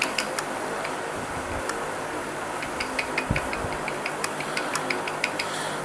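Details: Honda Civic 9th generation engine running, noise reported when the AC is switched on: sharp, uneven light clicks from a rattling accessory belt tensioner, a poor-quality part replaced less than a month before.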